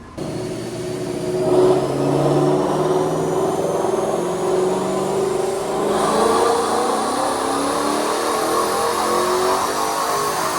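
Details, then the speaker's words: Supercharged Mustang with new built engine and transmission, hot, in a full-throttle dyno pull to about 7,500 rpm. It screams up, then the note changes abruptly as the transmission loses its speed signal and drops a gear. Fix needs the transmission pan removed. "So my car would go 1, 2, and then all of a sudden, at the top of second, back to first."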